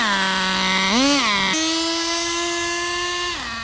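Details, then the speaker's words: Turbocharged RC car engine: high buzzy note sags and recovers, then dies; sounded boggy, owner suspects too rich and plans to lean the fuel; transmission also suspected burnt, not shifting. "that sounded a little boggy if I'm not mistaken so let's take a little more fuel out of it"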